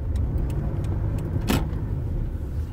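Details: Toyota Hilux/SW4 (2005–2015) with a complaint of a clunk under the front of the cab, driven over a very rough stretch and a speed bump: steady road rumble and one light tick, no heavy clunks.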